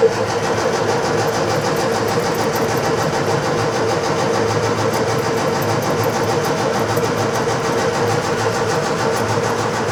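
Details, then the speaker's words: Scrapyard Fiat 600 with no keys, after cleaning out and refilling fuel: steady cranking for ten seconds, nearly firing but never running; owner suspects the carburettor is not filling with fuel properly, found pretty dry. "but it's nearly there but he doesn't just like it does it I think we're struggling because we haven't got any fuel in this carburetor I think it's not filling it up properly"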